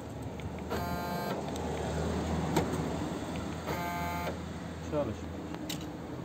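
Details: 2004 Honda Civic VTEC rear door lock not opening when button pressed, door card removed: two short electric buzzes, each about half a second, with no solid clunk of the lock throwing; actuator motor weak, lost torque.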